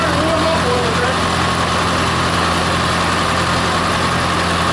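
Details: Massey-Harris tractor, first start in 15 years after new points, on full choke, idling: a loud, even, low rumble that holds steady throughout with no misfires or knocks; normal clean idle.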